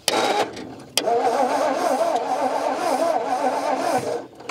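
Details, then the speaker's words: 1950s Ford shoebox with a flathead V8, unregistered since 1981, cranking in an even, labouring churn for about four seconds without firing; no fuel is being drawn in, and the fuel pump is suspected to be doing little. "that's not drawing any fuel in either"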